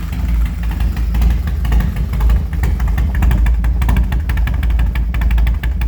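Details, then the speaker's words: 2003 Harley Dyna Low Rider with unknown cams, headwork and high-lift valve springs, previously a non-runner, restarted warm without choke: deep, lumpy, loud, even lope with small throttle blips, firing cleanly every beat; normal running. "Yeah, it's had a lot of motor work done."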